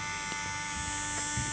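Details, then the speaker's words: JGY 370 12 V DC gear motor, 6 RPM version running at 12 V, heard close up: steady high electric buzz with a fixed tone and no gear noise; all sound comes from the brushes, normal running hum. "तो यहां पर हम इस motor की आवाज सुन सकते हैं जो कि काफी कम है आई थिंक गियर्स के अंदर तो बिल्कुल भी कोई आवाज नहीं सिर्फ और सिर्फ यह मोटर का साउंड है"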